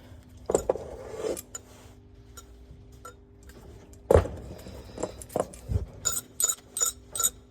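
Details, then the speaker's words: Reconditioned turbo removed from a VW Touran TDI diesel with a boost problem, shaken by hand: light metallic clinks and a loose tinny rattle, from a loose washer inside the exhaust side. Replaced with a breaker-yard turbo. "So the turbo is off and it's got a rattle inside of it."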